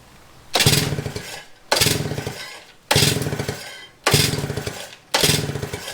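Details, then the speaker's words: 1955 DKW Hobby two-stroke with rebuilt carburetor (idle jet half a turn out), magneto spark confirmed, fuel reaching it: five cranking bursts with no firing pop; won't start, suspected timing. "So, could be timing. There is some adjustment on the mag. Very small amount sort of back and forth. We could try that. Clean the plug and then go again. I mean, it's getting fuel."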